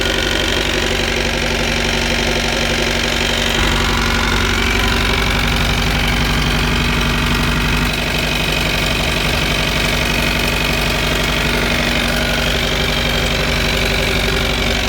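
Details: Mercruiser 3.0 with outdrive at idle: steady low rumble with a loose, repeating knock; cause suspected, not confirmed; knocking at idle.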